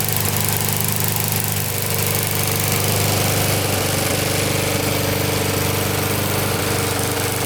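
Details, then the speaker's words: Older Briggs & Stratton 3.5–4.5 hp lawnmower engine, carburetor on metal tank, after carb cleaning and diaphragm replacement: steady even single-cylinder chugging, no misses or surging; running well. "You're running good."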